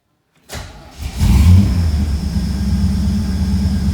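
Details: VL Calais Walkinshaw with injected 304 5L V8 conversion, first start after completing wiring: short crank, then catches cleanly, flares once and settles into smooth, even idle; healthy start.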